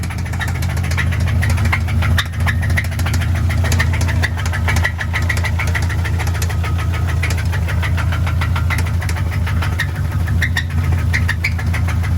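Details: Subaru engine idling in neutral on a second battery: sharp regular ticking knock over a low idle drone; internal engine knock, owner hopes it is not the fourth cylinder, cause unconfirmed.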